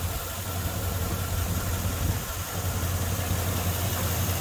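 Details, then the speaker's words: 2002 Chevy Silverado 5.3 V8, started on a jumper pack after the battery was dead: steady idle with a dull low knock about three times a second; suspected broken crank, broken flywheel or loose torque converter bolts. Cause suspected, not confirmed. "oh that sounded real good so who do you think that might be that kind of sound like a busted crank or something"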